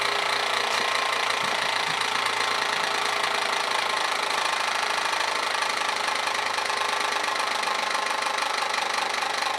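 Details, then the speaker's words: Old Kwik Kool oscillating fan after reassembling fan blade and housing: starts fast, then slows with a dense rattling whir and uneven knock; owner suspects the motor is catching or binding. Knocking and slowing down. "yeah i started up fast now it's slowing down i think probably the motor's caught and start seeing smoke any minute now"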